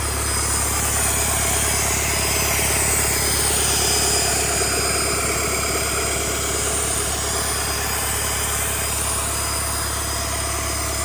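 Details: Rebuilt Doosan D34P diesel for a Bobcat S770 track loader, running test after rebuild: even clatter at steady idle with no knocking, grinding or whine; healthy.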